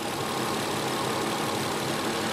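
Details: 1993 Infiniti J30, 101,000 miles, idling during injector waveform check: slightly uneven churning beat under steady mechanical noise; number six injector high resistance opening late, running lean, another injector pintle sticking; rough idle from faulty injectors.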